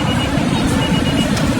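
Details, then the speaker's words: Vehicle with a crank-no-start problem, MAP and intake temperature codes cleared, fuel pump wire checked: engine now started and running steadily with an even low rumble and no misfire; problem solved. "ये गाड़ी हमारी start हो गई है आप देख सकते हैं इसमें करंट आ गई है"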